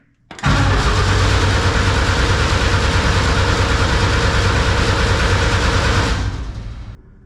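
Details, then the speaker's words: Snowcat build with a fairly used turbo diesel, first start, about 13 volts: strong, even cranking for about six seconds with a steady churn and no dragging or clicking; oil pressure reached about 20 psi under cranking alone. "we uh got up to about 20 lb on the oil just under cranking so that's good pretty happy with that"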